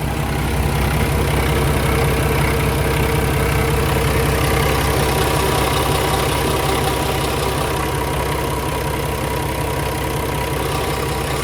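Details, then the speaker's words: 2016 Kenworth T680 with a Paccar MX13 485 hp and 13-speed, recorded outside at idle: a steady, even diesel beat around 160 a minute with no ticking, knocks or misses. A healthy normal idle. "So one of the things to listen for on one of these engines is a ticking noise, and I don't hear it on this one, which is good. Sounds perfectly normal to me. Good, healthy engine."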